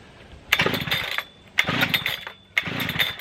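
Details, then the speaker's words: Brand-new Husqvarna 3120XP chainsaw, startup test: three pulls each give a brief pop and rasp that dies instead of catching; owner thinks it flooded out. Flooded two-stroke false start. "it did the burp but for some reason it didn't start all the way this is what's a little bit annoying with this huswana"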